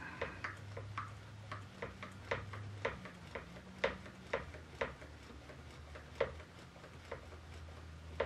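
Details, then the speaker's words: Homemade check valve on grease-gun hydraulic setup pumping oil: light metallic ticks roughly every half second as check ball unseats and reseats each stroke; valve not sealing, not holding pressure. "you can hear the check ball unseating and seating again it unseats you don't hear anything then when it clap Rel back you can actually hear it tinking"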